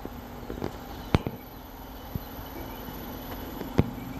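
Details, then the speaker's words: New Carrier Infinity variable-speed outdoor unit first run: steady low hum with a couple of sharp clicks as the compressor kicks on; normal start. "anyway just waiting for it to kick on here kick on any minute now here it is hear that that's the compressor"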